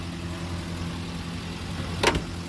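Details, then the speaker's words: 75-year-old Peugeot 202 idling after a road test: even, smooth beat with one brief clunk near the end, no sputter. Normal idle, the best run yet; the brakes pull unevenly. "okay that's a pretty good test run that's the best one yet doesn't sputter runs smooth"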